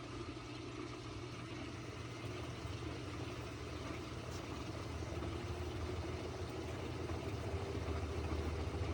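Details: GE Hydrowave washer after washer motor replacement (not-spinning fault): quick drain and spin gives steady motor hum, pitch climbing smoothly as drum spins up, no knocking or grinding; normal spin.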